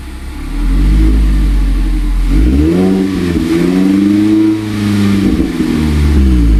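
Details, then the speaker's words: 2019 Mazda MX-5 Miata (ND), first cold start with new Good-Win-Racing RoadsterSport Race axle-back exhaust: catches, flares deep and loud, then settles into a throaty, wavering fast cold idle; normal cold start. "So hopefully you could tell the difference between the stock super quiet and the Good-Win-Racing RoadsterSport Race. I definitely prefer the Race, although that's the first time starting it up."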